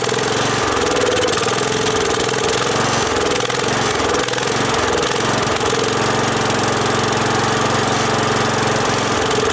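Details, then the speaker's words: Wheel Horse 416-8 garden tractor, over 2200 hours, running after a no-crank repair: single-cylinder engine at constant speed with a fairly even beat and no misfire; sounds healthy. "not bad let's take it for a ride so so sounds pretty good that's pretty nice well over 2 200 hours and she's still got some life left in her"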